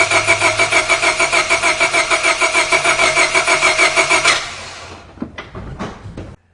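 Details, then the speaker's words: 1999 Honda Civic with a no-start, heard cranking with the microphone removed; starter beats about three a second, one beat per cycle lighter and quicker, a dip indicating low compression in one cylinder, judged not the cause of the no-start. "All right, I am sure you guys will agree with me that this car has a compression problem, but it is not the cause for the no start, for sure. But again, listening to that dip in one of the cylinders, and you can hear that there's not that steady even beat with the cylinders."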